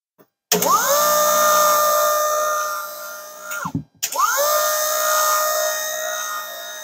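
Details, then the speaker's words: Virtual pinball gear motor (an electric window motor) powered at 12 volts from a bench supply and drawing 1.72 amps; it spins up to a steady, even whine, stops briefly and restarts, with no grinding or clicks, normal gear motor operation. "i'm going to touch this and you should hear the gear motor um"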